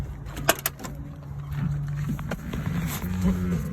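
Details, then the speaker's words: 1994 Ford Bronco 5.8L, sat five years, crank-no-start with no spark; after new cap, rotor, plugs, wires, coil and ignition control module plus a timing adjustment, it clicks, catches and idles with a steady even rumble; normal start and idle. "starts right up"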